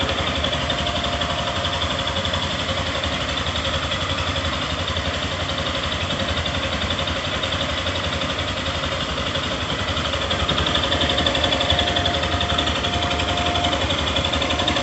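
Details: 2022 Yamaha Fazer 150, about 1,000 km: steady idle with a light, quick ticking over the exhaust beat. Owner suspects fuel-injection noise and is unsure if it's normal; cause not confirmed.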